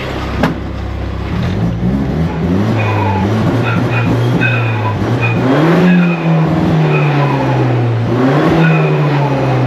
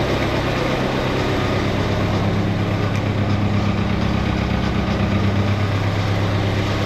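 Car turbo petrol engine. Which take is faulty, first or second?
second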